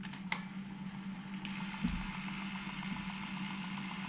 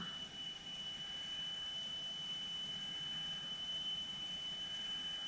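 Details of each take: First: Alpine 5255 in-car cassette deck (1988, auto-reverse), bench-powered on 12 V: fast forward and rewind sound normal, steady low motor hum with light whir and no grinding; only play fails, owner suspects aged drive belt, later confirmed and replaced. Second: 1988 Alpine 5255 cassette deck after drive belt replacement, playing a 3 kHz test tone: a steady pure tone over light hiss while the motor speed pot is adjusted upward until the reading is 3.00 kHz. The tape speed was slightly off and is now calibrated.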